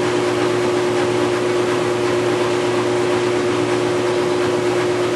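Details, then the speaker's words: Maytag Centennial Commercial Technology washer, about 14 months old and overloaded for the demo, coasting to a stop after spin: steady mid-pitched hum over a rushing whirr; the owner reports a cement-mixer-like noise that began after the warranty ended; cause unknown. "back shortly you and it wasn't back spinning down the log flow you can hear now the noise it makes just coming to a stop"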